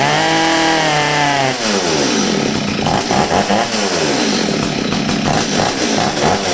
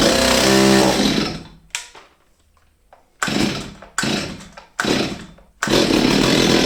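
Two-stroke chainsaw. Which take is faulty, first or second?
second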